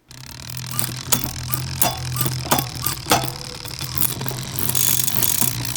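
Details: Shimano Di2 rear derailleur after adjustment, out of adjustment mode, shifted through all gears up and down: short motor whirs each ending in a crisp click about every second over a steady low hum; clean, normal shifting.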